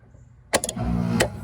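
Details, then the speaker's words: 2011 Rheem R-410A condensing unit on a no-cooling call, no common in the thermostat wire: a sharp clack, then a low steady hum as the compressor starts and runs when energized directly; technician suspects chewed, previously patched thermostat wiring. "So I might be guessing a little bit early, but I believe we're gonna find the culprit to be in this thermostat wiring, or the lack thereof. Because as you saw, everything worked right up there."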